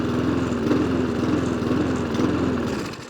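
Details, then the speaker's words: Mountfield SP454 self-propelled lawn mower with a non-working throttle cable/lever: the small single-cylinder engine's pitch wavers up and down instead of holding steady, so it is hunting and surging. "Let's see what it does. There you go. Drive? Yes, drive works. Oh well. Yeah, it's got a bit of a hunt to it."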